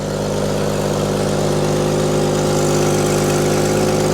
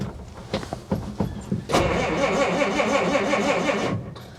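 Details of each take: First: Willys Jeep truck barely run in 25 years, stumbling when cold and needing a choke cable, here warmed with a slightly raised idle: steady and even with no ticks, knocks or rattles, and a little smoke at first crank; healthy idle. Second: Old Willys, cold start with no working choke cable so choke held by hand: uneven cranking bursts, catches and runs rough for two seconds, then fades and stalls when the choke is released too soon.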